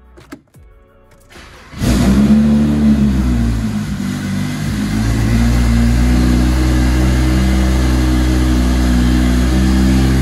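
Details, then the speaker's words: Single-turbo BMW 335i first start after three months stored in Canadian winter, in neutral: short crank, catches easily, a little rough at first, then settles into a steady, even idle. "I thought it was gonna struggle to start up a little bit at first, but it started up no problem. And obviously it ran a little rough at first, but listen to that idle right now."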